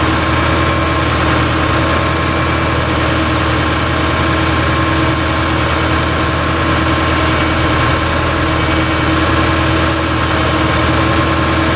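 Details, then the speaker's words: Lifted 4x4 6.0 Powerstroke diesel van, back after a Bulletproof kit with head studs, gaskets and injectors, and a no-start: steady idle with a slight dull knock under the clatter; possible internal damage such as a broken piston skirt; cylinder 5 shows a 4% compression drop. "um situ running now it actually sounds just like my other one earlier this morning it sounded like we had a slight knock here"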